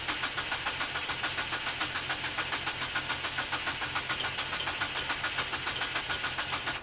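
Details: 1997 Mitsubishi Eclipse GSX, jump-started, fuel pump running, spark plug wires swapped: steady starter cranking at about three and a half beats a second with no catch; crank, no start, timing suspected.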